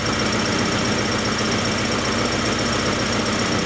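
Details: 1994 Acura Integra 1.8 L DOHC warming up after a cold fast idle valve adjustment fixed its surging idle. Steady, even idle with a constant hum and no hunting or surging: normal idle.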